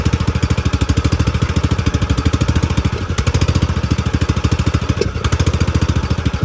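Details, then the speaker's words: Poulan XT gear-drive 42-inch tractor mower engine with a newly fitted Chinese carburettor: uneven chugging idle with popping, surging and dropouts. Misfire traced to a fouled, white old spark plug. "all right y'all so we started the mower up and it ran and it had a nasty misfire you could hear it popping and surging"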